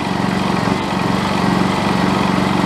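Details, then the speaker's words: Honda EU2200i generator throttled up in about 100° heat, exhaust smoking slightly (suspected oil or cosmoline): steady engine drone with a firm low hum, no knocks; normal running at higher speed. "just crank it up. Sounds cool too."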